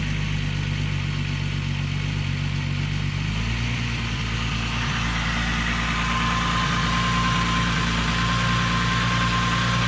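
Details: VW Corrado at idle: lumpy rough idle that steps up partway through and hangs higher, owner asks why it jumps up and runs so rich; rough idle with surging idle speed.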